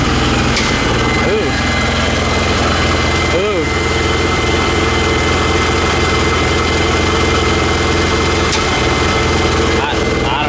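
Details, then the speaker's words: BMW E46 with random misfire and cylinder 5 misfire codes, codes just cleared, owner suspects valve cover: rough, uneven idle with brief rising chirps over the hum; weird noise, owner wonders about driveshaft or transmission, unconfirmed. "I was thinking it was could be something weird with the drive shaft itz sounded like the drive shaft was like spinning or doing something crazy"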